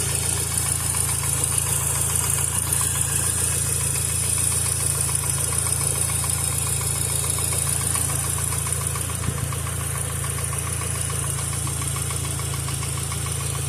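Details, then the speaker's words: VW Passat B5 first start after reassembly, idling: light fairly even tick about two per second over engine hum; owner suspects a hydraulic lifter, also hears a vacuum leak; cause unconfirmed. "Should just be a hydraulic lifter making noise. Don't be alarmed."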